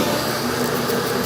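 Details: LG clothes dryer with drum apart, after replacing an open high-limit switch for a no-heat fault, switch held closed to test: steady even whirr and hum with no knocks, scrapes or squeals; normal dryer running.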